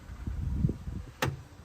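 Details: VW Golf 6 door: quiet power window motor run, then one sharp clack as the glass moves; a known Golf 6 fault, door being dismantled to find the cause.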